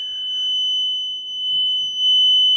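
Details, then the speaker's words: Steady piercing high whistle at one pitch, swelling louder, heard only in this bathroom, not electrical, continues with the light off; source turned out to be the toilet. "unidentifiable noise coming only from this bathroom, I'm sorry. This is the only area in the house that this is making this noise. It's not connected to the electric."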